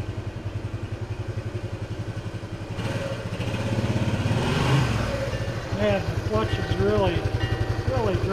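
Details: Restored 1976 Honda XL175 single, first ride after restoration with the clutch adjuster just set: steady pops, then a clean pull as revs climb with no flaring or slipping; clutch and engine pulling properly.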